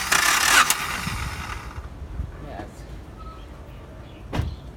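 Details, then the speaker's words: 1992 Honda Accord four-cylinder, wet compression test (a little engine oil added), ignition disconnected: short even cranking burst of about four revolutions, no stumble; good compression on this cylinder, nearly 195. "You can hear around 4 revolutions. Yes, the value is good, nearly 195."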